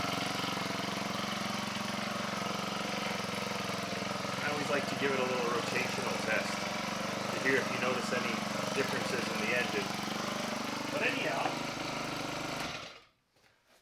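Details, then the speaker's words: Husqvarna 324LDx hedge trimmer powerhead, over 10 years old and stored 4-6 years, runs on choke near idle after new air and fuel filters and spark plug; runs steadily, throttles smoothly, no smoke, sounds healthy. "that sounds pretty good to my ear I'm not even getting a heavy smell off of that which considering how much smoke the thing blew when I first fired it up is miraculous"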